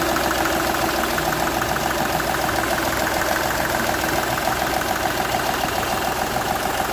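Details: Seat Ibiza 1.2 TDI diesel idling with steady sharp chuff-tick about three and a half per second; compression loss from cylinder one past the injector seal, which showed a burnt section where compression escaped.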